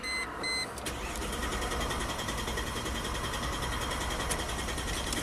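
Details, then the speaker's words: 2005 Chrysler Crossfire convertible with a Mercedes drivetrain that stalls after a few minutes and won't restart until cool: it cranks steadily at about 2.5 beats a second but never catches. Injector power is present, but the scope shows no crankshaft position sensor signal. "Beautiful. We have absolutely no crank signal."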